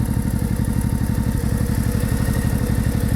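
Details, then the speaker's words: Honda motorcycle with sidecar, warmed up, coolant about 100°C with thermostat open, in neutral, charging 13.5–13.8 V, no leaks: steady, even idle with a regular low beat, no knocks or rattles; normal warm idle. "Двигатель работает ровно. Ну, замечательно."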